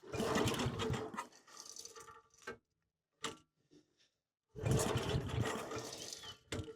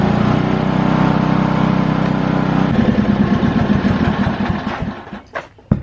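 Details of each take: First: Lincoln Weldanpower 150 welder/generator gas engine: repeated rope pulls give short chuffing bursts and the odd puff but it never runs. No fuel reached the plug and the fuel line is hardened. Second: Lincoln Weldanpower 150 welder/generator bought cheap, started with fuel on and choke after new fuel line, air filter and oil change still pending: small engine runs steady at fast thump a few seconds, then winds down and stops cleanly; normal running.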